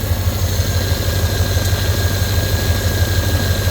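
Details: Corvette at nearly 200k miles with a power steering leak (hose had blown off the pump; o-ring fitted); wheel cranked lock to lock. A steady high whine rides over the idle, fluid is low and no leak is seen. Power steering pump whine.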